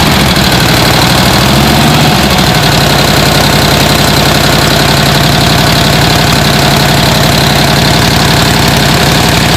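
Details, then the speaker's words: 1949 original-paint Panhead Harley-Davidson, kickstarted for the first time, needing fresh gas and a cleaned carb and poorly tuned: loud, even, loping V-twin idle with no miss or knock, running well. "I got it started this is a really awesome bike uh runs like a top just needs to be ridden"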